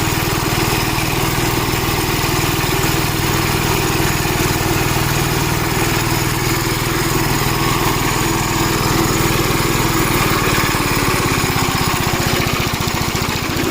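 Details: Gravely Model L tractor with governor, already run earlier, after its blown head gasket was replaced; even, steady single-cylinder putter at about four beats a second, no knocks or misses. Runs healthy, though an oil leak remains to be found.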